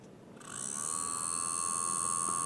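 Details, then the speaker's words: DJI Air 2S drone before repair (damaged arm, stuck gimbal Y motor, faulty vision sensors), at power-up: thin high whine with buzzy edge holding steady, abnormal noise; cooling fan blade rubbing housing. "First of all, the sound is abnormal Look, there's noise."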